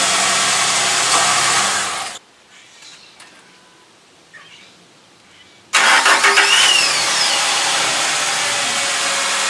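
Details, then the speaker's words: Truck with a low battery that struggled to crank, after the battery was revived using a welder: brisk, even starter cranking, a pause, then strong steady cranking again; battery now turns the engine over easily. "But, uh, for now, uh, it definitely rolls over easier."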